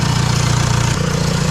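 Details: VW Mk1 Caddy pickup TDI diesel idling after larger injector nozzle install, lines not bled; steady even diesel clatter with smooth low drone, no misses or knocks, engine healthy.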